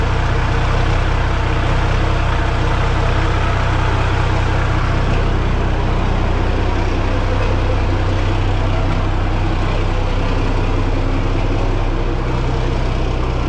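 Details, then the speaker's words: Peterbilt 359, an old semi truck, on a smoky cold start in melting snow after hard cranking on weak batteries: a deep, steady, low diesel idle rumble with no knocks or misses. Normal idle. "is there anything better than a smoky cold start of an old semi truck I mean I love it just love it I'm glad it cranked"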